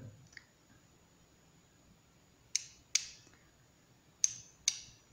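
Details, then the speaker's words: Bench test of a VW Beetle (Vocho) relay, battery positive on terminal 85 and ground on 86; two pairs of crisp pull-in and release clicks about half a second apart, relay activating properly: normal. "como ven el rey se está activando vamos a conectarlo"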